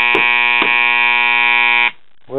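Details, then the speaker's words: 1977 Realistic STA-64 stereo receiver: loud steady 120-cycle buzz from both speakers that cuts out and returns when the cabinet is slapped; intermittent internal connection in an Elna power-supply filter capacitor. "all of a sudden I heard this loud buzz that sounded like bad filter capacitor hum"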